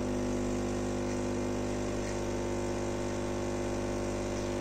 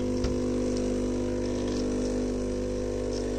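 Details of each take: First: Philips HD847 coffee machine after cleaning a valve (previously heated but delivered no water): steady buzzing pump hum at even pitch for eight seconds during the rinse, then clean wind-down; pump working normally. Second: Philips coffee machine (HD847 series) that heats, grinds and runs its brew unit but delivers no water: steady buzzing pump drone, unchanging, as the clogged outlet valve holds back pressure so water doesn't pass.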